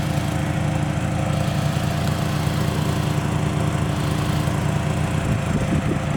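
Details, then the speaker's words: 1984 Toyota Camry DLX first generation, under 100k miles, four-cylinder idling and revved a little with door open: steady loud idle with raspy uneven puffing over the low drone; exhaust leak making it louder than it should be. "This car doesn't have an RPM gauge, but let me keep the door open so you can hear it rev a little bit. It has an exhaust leak. It's not supposed to be that loud."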